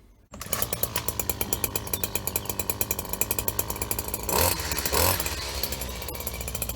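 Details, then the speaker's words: Husqvarna 24H single-sided two-stroke hedge cutter of unknown age, with a spare handle fitted: steady high-rev buzz holding speed through thick growth, then a brief surge; runs normally under cutting load. "there we have it what's going on here 24 h unsure the age but the yeah we're pretty good got through some pretty thick stuff back there"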